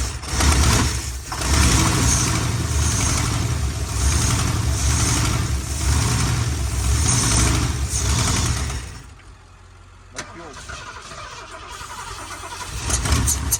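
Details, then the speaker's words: Ford big-block 460 V8 on a jump pack after a dead battery: steady fast cranking for several seconds with no catch or fire; cranks but won't start, spark thought to be present, old fuel suspected to be too stale to run. "uh we did make the 460 run but it doesn't run under its own uh gasoline because we think the gas that's in it is so dead that it's just not gonna run"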